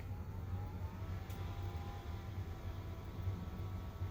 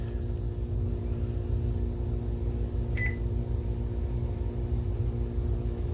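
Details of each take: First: BenQ HT1075 DLP projector that overheated and shut down after exploded lamp glass clogged and damaged its blower fan; after replacing fan, soft even whir with no rattle, scrape or pulsing; normal blower fan operation. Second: BenQ HT1075 DLP projector that overheats and shuts down after a few minutes; an exploded lamp shot glass into the blower fan, clogging it and damaging lower blades. Loud steady drone with a rough low rumble; damaged blower fan.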